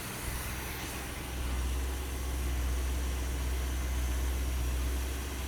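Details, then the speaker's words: Never-sold new-old-stock 1974 Plymouth Cuda with 64 original miles, run after decades in storage with no fuel or oil since the 70s: deep, even, steady V8 idle with no knocks, misses or shake; small drip noted underneath. "The seals haven't had oil in them. None of the stuff has had fuel or oil in it since the 70s. What, 40 some years? And you put it in there and it runs like that."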